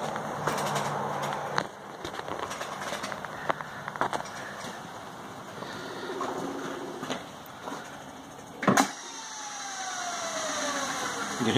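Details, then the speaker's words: 1903 Century 2 hp single-phase induction motor, frame P7, wired 110 V, ex table saw: switch clack, then even electric hum and whir with no knocking or grinding; runs well, slight rattle at the rear when winding down. "this is a good running motor nothing wrong with it that I know of"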